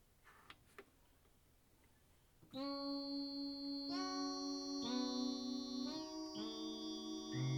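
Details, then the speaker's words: Casio CZ-1 synth played through a stereo: held notes cut out and jump in level every second or so, with static. Intermittent output that clears after about 20 minutes of warm-up; cause unknown. "I don't know if you can hear that fluctuation back and forth and static volume up and down."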